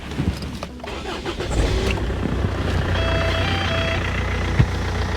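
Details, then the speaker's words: Land Rover Freelander old 4-cylinder diesel, automatic, new battery, oil level good, coolant low from a leak: short crank, catches at once, settles to steady low idle, little vibration, no clatter, no black smoke; normal diesel start. "Ça tourne nickel. Ça démarre au quart de tour. Ça vibre pas tant que ça pour un diesel là, il claque pas."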